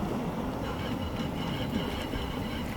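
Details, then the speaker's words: Mitsubishi PHEV after long shop stay (HVAC and AC compressor replaced), turning at low speed without braking: steady low rumble with gritty rattle from under the car; dealer diagnosed a worn wheel bearing, part ordered. "It's just something is rattling. It's super noisy. It's going back. Okay, so they told me there's a wheel bearing."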